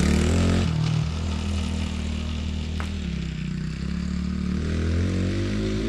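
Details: 2017 Tao Tao ATA125D pit wheeler quad, reassembled after repairs: small single burbles steadily, pitch easing and rising with throttle, no stumble or bog, smooth throttle response; normal running.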